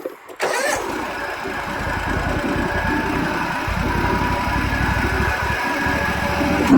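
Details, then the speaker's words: Bobcat riding mower with blades engaged: loud rough clattering racket and heavy vibration over the engine from a worn bearing in one blade spindle; fix is replacing the spindle. "It's a lot of vibration and a lot of extra noise."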